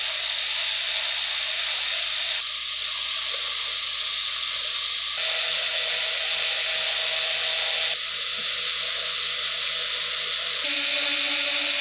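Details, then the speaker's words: BetaFPV 11,000 kV 1103 whoop motor, previously oiled, run before a bearing-oil test: a high, steady whine with a slightly rough, hissy edge. The bearings in these motors are not great and can be a bit noisy, though they fly well. "beta fpv 11,000 kv 1103 motor the bearings in these motors are not really that great that can be a little bit noisy but they fly really well"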